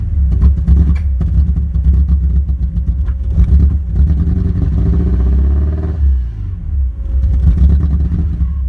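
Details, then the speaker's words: 1987 Porsche 924S with a spare air flow meter swapped in: low, lumpy idle with uneven pulses, speed hunting and stumbling; still running rough, later traced to an overlooked leftover intake gasket, not the AFM or DME. "all right so as you can see it's still running rough so I'm gonna try swapping in a spare DME now"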